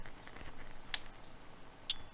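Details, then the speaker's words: Tycon TP-SW8GAT PoE industrial switch powering up, held against the microphone. A couple of sharp little snaps as the alarm relay pulls in and activates. Normal. "there you go so that's the alarm relay that's the alarm relay kicking in that's it opening it's activating"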